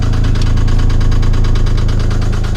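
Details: '97 Geo Metro 1.0L idling: steady rapid knock about seven beats a second, louder with clutch pressed, from a spun rod bearing after an oil leak.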